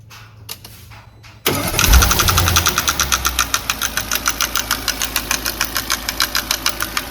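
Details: Audi A8 D5 engine, after start-up: crisp, steady clack about three times a second over the idle from the cylinder head area, camshafts bolted to the bearing bed from the reverse side; sounds like a rocker has come off.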